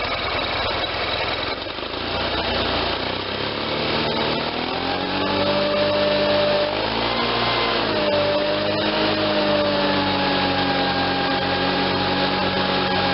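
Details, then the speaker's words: Case Ingersoll 448 hydriv garden tractor with twin-cylinder Onan engine, running after installing a fully rebuilt N46 mower deck with a new belt: engine settles to a steady drone as the deck spins up with an even whir, no squeal or clatter; belts tracking well. "okay just ran that for a few minutes there everything sounds good the belts are tracking good"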